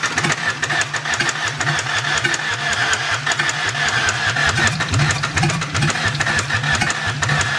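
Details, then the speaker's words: 2004 Ford Ranger Tremor, cranking: steady, heavy, low rhythmic clunking on every crank stroke with no catch. Hydrolock from water is suspected, though plugs were pulled and it was cranked out already. "you think it's just full of water still that's why he's knocking maybe Hydro locking"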